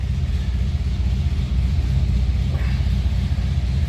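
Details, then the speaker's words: 1948 Ford Super Deluxe Coupe flathead with 12-volt system, odometer about 26,348 miles (originality unconfirmed), starting easily on the starter button and settling into a low, even, steady rumble with no misses or knocks; normal idle. "See how easy that starts. That 12-volt helps spin it"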